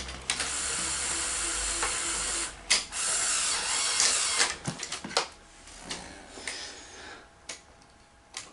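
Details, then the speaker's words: Sony SL-HF900 Betamax VCR, unused for years, tries to load a cassette as soon as it is plugged in: fast ratcheting chatter about three clicks a second, then scattered stalling clicks; sticking solenoids jam the cassette housing mechanism out of timing. "okay so some kind of a mechanical timing issue here okay so when you plug it in it shouldn't be wanting to load"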